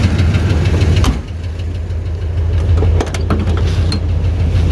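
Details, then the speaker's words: 1984 Chevy Caprice wagon, 305 V8, 700R4, about 121,000 original miles: steady low idle with a light uneven tick on top; owner suspects a bad exhaust manifold gasket or cracked manifold, not confirmed. "we either got a bad gasket on this side or a crack manifold that's pretty common"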